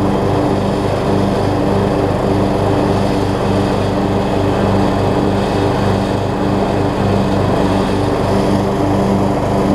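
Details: Craftsman LT3000 petrol riding mower with a replacement deck, blades engaged and cutting, gives an even low hum with deck whir and no knocks or surges. It stuck briefly at first and needs a few mow cycles to free up. Normal running with blades engaged.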